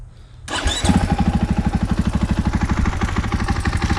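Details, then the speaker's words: 2021 KTM 500 XCF-W, about 4,430 miles and 22 hours, idles quickly and evenly with a light, not very loud tick on each firing pulse, likely from the top end; valves checked good, owner suspects a valve guide. "so i don't know how well you can hear that tick but that's the tick i'm talking about"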